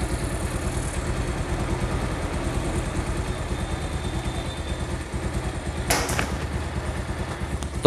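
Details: Pulsar motorcycle engine at idle: fast, even light rattle over the low beat, possibly a slack timing chain, cause not confirmed; engine rattle.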